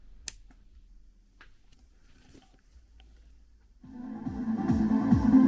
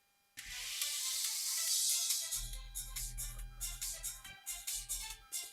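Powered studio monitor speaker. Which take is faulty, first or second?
second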